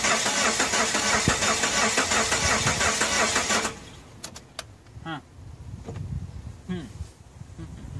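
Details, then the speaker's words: 1993 Geo Tracker said by the seller to be locked up; starter churns steadily about three turns a second for nearly four seconds, never catches: cranks but won't start. "whoa it cranks he told me it was locked up doesn't sound good though"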